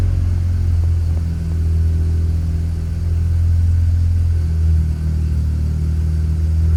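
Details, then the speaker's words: Barn-find Mazda RX-7 rotary, rebuilt, first run after 25 years: a smooth, even hum at a slightly high idle because the TPS isn't set yet. Earlier it stalled after about 5 seconds until a missed plug was fixed; it now idles normally. "She's running, boys. Listen to that purr. It sounds so good."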